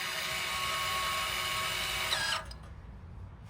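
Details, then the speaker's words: 2023 Nissan Pathfinder electronic parking brake caliper motor, powered by a drill battery and two wires during a brake job: steady high-pitched hum for about two seconds, then a clean cutoff as the motor retracts the piston normally. "Once you see once you hear that humming noise, that is the motor retracting the piston."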